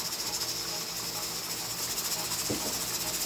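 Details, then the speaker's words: Pressure canner processing carrots, held at 10 pounds with the stove at medium-high: the jiggler's soft steam hiss slowed and quieted to a calm, even rocking of about three or four a second, the correct pressure. "slowed down and it's gotten quieter and that right there is the the pressure that you want to keep it so you just have to listen to it"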